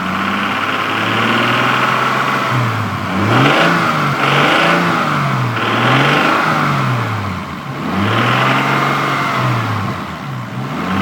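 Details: Toyota Supra MK3, stock, 200,000 km, burning 1 liter of oil per 600 km: revs rise and fall with a whirring valvetrain-like noise climbing with rpm when accelerating; owner suspects valves or injectors, source unclear.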